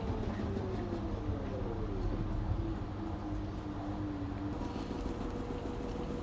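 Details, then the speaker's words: LG 9 kg wash / 5 kg dry washer-dryer combo that washes but won't dry, during spin: falling then steady motor tone over a heavy low rumble; the machine shakes vigorously from an unbalanced load. "The machine is unbalanced, that's why it's shaking vigorously. The machine should be well balanced."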